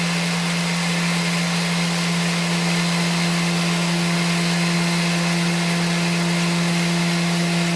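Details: Dewalt 733 planer after repair for feed hesitation, with stiff chain links soaked in oil and a longer UHMW tensioner pushing up on the chain: steady motor hum, constant whine and even cutter hiss, no stalling, knocking or surging; runs smoothly.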